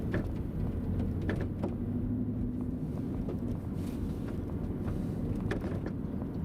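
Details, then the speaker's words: 2011 BMW X5 E70 xDrive50i, microphone in the trunk while driving: irregular light clicks and taps over road rumble; rattle from the lower tailgate latch, not the upper. "so just listening i wouldn't have guessed this but it turns out the right one was actually coming from the lower latch not the upper latch"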